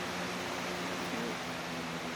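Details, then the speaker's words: Lasko Cool Colors box fan, 2018–19 and about 2–3 years old, on speed two: steady airy rush with a faint low hum, blade slightly off balance and shaking a bit; fan runs evenly. "level two or speed two quiet one which is not really that quiet but it's good enough this blade's a little off balance as you can tell it's definitely shaking a bit"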